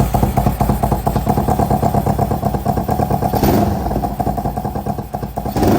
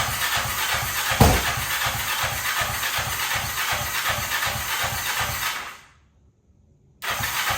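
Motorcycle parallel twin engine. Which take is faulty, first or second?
second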